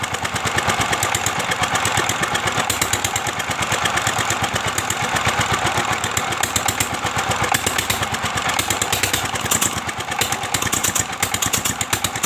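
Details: Old S1100 single-cylinder diesel after restoration (stuck piston freed, engine mounts secured), crisp rapid chuffing at a steady even rate with no misses or knocking; running normally.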